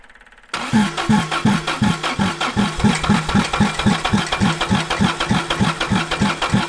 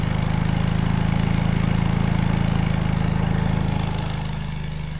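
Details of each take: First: 1960s General Supply 260 air compressor with a Kaiser Willys CJ2A engine fitted with a new electronic distributor: steady starter chug at about three strokes a second for eight seconds, never catching; flooded after the distributor was turned the wrong way. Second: 1960s General Supply 260 air compressor on a Kaiser Willys CJ2A engine with a new electronic distributor, timing tweaked by ear: even, deep thumping with no misses or rattles, easing slightly as load drops. Normal running under load.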